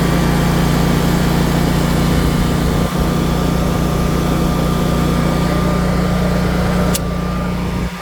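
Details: Generac 24 kW propane standby generator at first startup after installation, in emergency mode carrying light load (7 A B phase, about 2.5 A A phase): a steady, even constant-speed drone with a smooth low hum and no knocks or hunting, so it is running normally.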